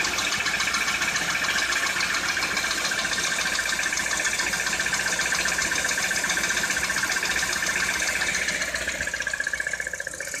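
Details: Citroën C4 2013 at idle: steady metallic knocking, roughly three to four per second, throughout; engine knock, cause not pinned down.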